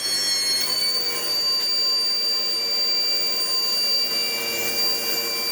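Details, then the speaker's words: Sebo X4 Pets Eco upright vacuum, free secondhand unit before servicing: a steady high-pitched whistle over the motor's even rush at full suction. A missing gasket causes the air leak, but the machine runs. "And yeah, if we turn it on, it has a horrible whistle. There is a gasket that has left the chap somewhere, but she does run."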